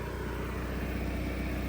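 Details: Cummins Onan generator, fuel pump relocated outside the generator (stalling/surging fix), just primed and restarted: smooth, even low hum with steady beat, no surging or stumbling; normal running.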